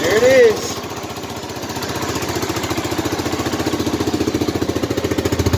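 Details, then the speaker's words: 1985 Honda Big Red 250ES: starter whirr, then it catches and settles into an even thump about four times a second. A clean, healthy start. "Sounds very good."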